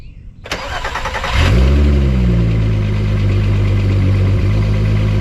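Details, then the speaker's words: Engine started, shut off and restarted to prime oil pressure, then a quick crank catches at once, flares and settles into a smooth even idle with no knocks or ticks, just after oil pressure sensor switch replacement; no leaks, normal start and idle. "you guys notice that I started twice as soon as it's running I shut it off that's how I do all the time to let the O uh I mean to Prim the engine to let the oil goes up"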